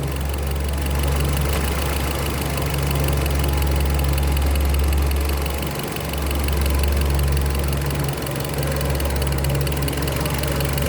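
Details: Engine idling with a low rumble, rhythmic beat and occasional stumbling dips, consistent with a cylinder misfire at idle.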